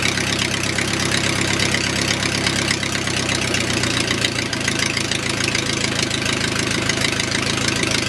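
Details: O-84 (4A084) flat-four with ECU fuel injection, cold start at about 75°F: quick start, then steady even 650 rpm idle, cold and rich until 140°F, crisp regular beat, no misses; normal cold idle.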